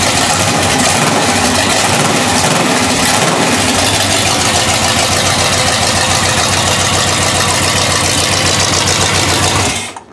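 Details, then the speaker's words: Mercury Grand Marquis V8, just reassembled after being in pieces, runs with a steady, even, crisp beat and no knocks or misses before shutoff; sounds healthy. "that's probably the healthiest you guys of her it sound almost sounds like she wants to go do some damage"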